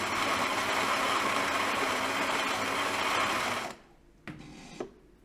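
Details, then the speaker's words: Philips EP5443/90 LatteGo espresso machine: steady hiss as steam escapes into the brew chamber and tray during milk frothing; leaking drain solenoid water valve not sealing. "I cut it off to show you, but damn, the water valve is hissing all the time"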